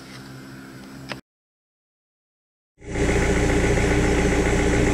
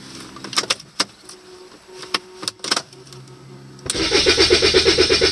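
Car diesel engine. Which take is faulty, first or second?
second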